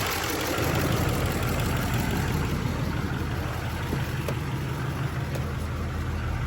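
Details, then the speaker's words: 2004 Duramax LLY diesel after replacing the idler, tensioner and belt: steady, smooth low idle with no belt squeal or idler chirp; the noise is fixed; normal idle. "all right, cool. That seems fixed."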